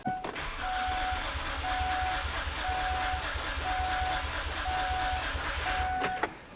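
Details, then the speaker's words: 2006 Kia Sorento with misfire codes P0300, P0301, P0303 and P0305, loose timing belt: starter cranking steadily with uneven compression beats; uneven compression from a valve timing fault, not a full loss of compression. "Okay. And yeah, definitely uh now that now that I listen to it more, there is a compression issue here."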